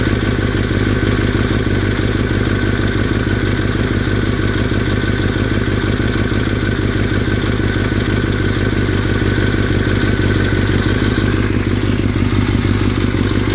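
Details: 2003 Yamaha R6 running and revved: busy metallic clatter over the four-cylinder's run that doesn't settle with revs, started after a trip to Europe; owner unsure if normal, source unknown.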